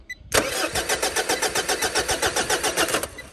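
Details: Mitsubishi Triton with fuses checked good and the starter fed power directly: even cranking at about four compression beats per second for nearly three seconds, never firing. Crank-no-start; immobilizer suspected, cause unconfirmed.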